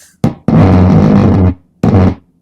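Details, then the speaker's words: Valve amplifier (Americano LP) back under warranty for noise: loud harsh rough buzz in bursts, cutting in and out abruptly; aggressive crackling, cause suspected a cold or bad solder joint or loose wire under the board, not yet found. "so I've got to go through this find out exactly where that issue is very interesting um I wasn't expecting that noise to be so aggressive"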